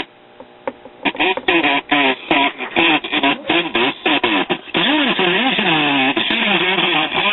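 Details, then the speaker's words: 1939 GE tombstone tube radio at 120 volts, unrestored: reception harsh and buzzy, voices and music breaking up with rattly distortion from the severely damaged speaker; leaky coupling capacitor also suspected. "of course a lot of that is due to the severely damaged speaker but i suspect we have a leaky coupling cap too"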